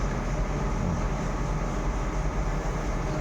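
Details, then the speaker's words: Bus air-conditioning blower fan motor, after the carbon brushes were replaced, bench-tested direct on 12 V battery: steady, even low whir with no scraping, rattle or brush chatter; spins smoothly and very quietly, repaired. "Umikot na rin po siya. So, tahimik na tahimik ko."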